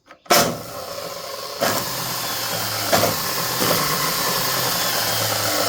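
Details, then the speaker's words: DeWalt DW871 14-inch cutoff saw, probably close to 20 years old, bogged down and smoked while cutting steel; run with the cover off: slow wind-up with a harsh, hissy crackle on the whine and heavy visible arcing. Owner suspects worn brushes and a dirty armature; bearings sound good. "There's a lot of arcing going on right there. Looks like an excess. Probably needs brushes and clean that armature."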